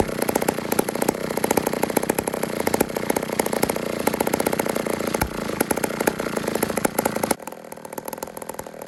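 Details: Old 150 chainsaw made in Toronto, Canada, after carburetor work: small two-stroke buzzes steadily, then drops to a clean, even idle with regular firing pulses; healthy running and idle.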